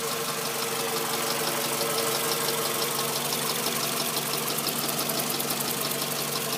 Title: Ticking noise in engine